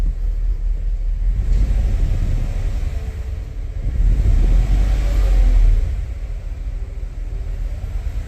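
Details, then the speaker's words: 2017 Cadillac Escalade petrol, 126,000 km, engine warning light on: deep, uneven idle with a lumpy stumbling beat; plugs, coils and O2 sensors already replaced elsewhere without fix; scanner shows misfires on cylinders 2 and 8; rough idle from cylinder misfire. "이 차량이 저희 매장에 들어온 이유는 차 시동을 떨어요"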